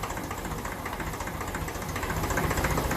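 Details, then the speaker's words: 1954 Ferguson 20 TEF diesel tractor at idle after the injection timing, previously too far retarded, was adjusted; possibly still some air in the fuel system. A steady, even chug at about four beats a second through a poor-quality silencer. Normal idle. "I'd be happy with that the silencer is not good quality I would tell him to change that it's not doing a whole lot of silencing but it's definitely a bit more powerful now since we've adjusted that in"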